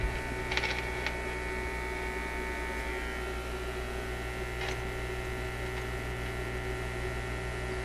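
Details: Zenith Y825 vacuum tube AM/FM radio: a constant low steady hum with a faint buzz through the speaker after a tube is reinserted; the mains hum cause is not yet found.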